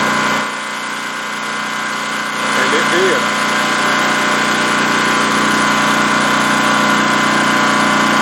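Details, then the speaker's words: Four-year-old Champion 3800 running watt dual fuel generator, stored full of non-ethanol gas with TCW3, electric-started without priming on its original battery: catches at once and settles into a steady, even drone with no hunting or knocking. "this one's four years old and man it's a great generator and that is the original battery too by the way"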